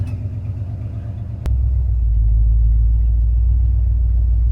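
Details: Ford Galaxie 500 V8 with a rebuilt motor and old plugs reused, on its first run before the front brakes were fitted, attempting a burnout. A deep, even burble that swells smoothly with revs, with no misses or knocks. Normal running.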